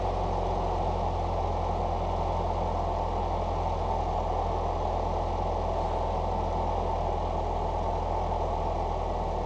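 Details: Foxbody Mustang four-cylinder after injector rebuild, new exhaust and IAC reset, idling about 750 rpm: smooth, steady even idle with no surging, misfire or ticking; normal idle.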